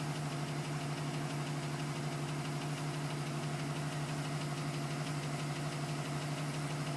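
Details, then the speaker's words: 2010 GMC Sierra with 2000 miles, cold start: even idle with steady tapping about three per second, owner wondered about piston slap; tapping persists past 4 minutes and stops at 5 minutes 42 seconds as the engine warms. "Still tapping at 4 minutes. Tapping finally stopped at 5 minutes and 42 seconds."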